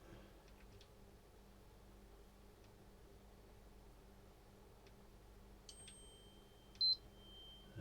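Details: PS4 Slim previously reported dead after another shop's repair attempt: after swapping the power switch, one short high beep at power-up, then a faint fan spinning up as the console switches on normally.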